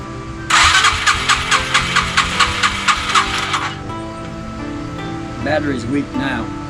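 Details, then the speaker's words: 2004 Yamaha TTR 225 after front-end reassembly and a valve clearance check. The starter churns in steady pulses for about three seconds but the engine never fires. Owner thinks it needs starter fluid, unconfirmed. "I still I don't think it's going to start just with gas I think it needs uh starter fluid"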